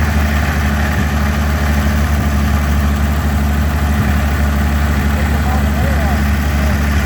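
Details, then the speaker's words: GM 261 CI inline six, running on weed-eater gas after only new plugs and fuel in the carburetor: a low, even idle with a steady beat and no knocks, misses or ticks. It runs smoothly and sounds healthy. "Sounds pretty good. It's hard to believe this thing, literally all we did was put a set of plugs in it and put some gas in the carburetor and it started right up."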